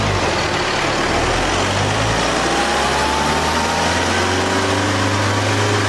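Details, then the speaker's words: Isuzu KB250 diesel bakkie on dyno under load with wastegate disconnected: heavy diesel drone with thin turbo whistle rising in pitch; turbo screaming from overboost at 1.1 bar. "It made 1.1 bar boost, but the turbo screams."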